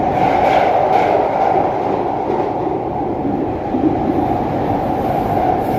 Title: Extremely loud noise on the Jubilee line